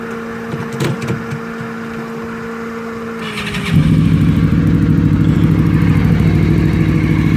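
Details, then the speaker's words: Honda VFR800 Interceptor V4 reverse trike with a '96 Ninja radiator; recorded on a phone mic. Starter whir, then a deep, loud, even exhaust beat settling into a smooth idle; normal start and idle. "All right, I'll start it up for you just so you can hear it, although the microphone on this phone might not be great."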